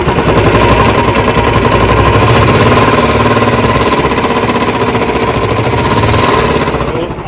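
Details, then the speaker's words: Royal Enfield Classic 350 (Bullet Standard) single at idle: thumping beat with a rapid, sharp tik-tik riding each beat from the cylinder head, worn valve guides and valves in the head. "और दूसरी आवाज आती है head के वल की तो head की गाइड जब खत्म हो जाती है य ल खत्म हो जाते है तब आवाज आती है"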